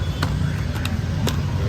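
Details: Suzuki Jimny JB43 with a rough, low-rpm idle: low, lumpy running that keeps wavering and stumbling, never settling into an even beat. Head cover gasket replaced and new spark plugs fitted.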